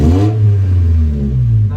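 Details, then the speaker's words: Honda Civic VTi, engine being warmed up before idle setting: after throttle release the note sinks low and heavy, nearly stalling, then slowly recovers; idle drops after revving. "Nabagsak, yan o. Ayun. Isa pa. Yun. Parang mamamatay. Tapos dahan-dahan siyang bumabalik."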